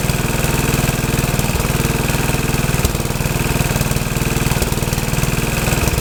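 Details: Troy-Bilt tiller test run after rebuild; owner unsure of choke setting (full, half or none) but it starts and runs good: steady, even single-cylinder putter about four beats a second, no misses or knocks.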